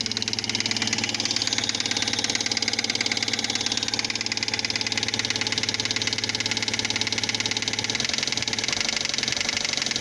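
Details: 2005 Fiat Palio Fire 1.0 8v after a timing belt, tensioner, oil and spark plug change: sharp metallic knock, about three a second, over the idle, sounding like a rod knock; a spark plug electrode fell into the cylinder head.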